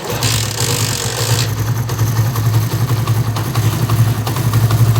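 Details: 70cc chain bike (about a 2015 model) idling after the timing chain and spring were replaced: steady low thump with only a faint light ticking left; the earlier timing chain noise is gone.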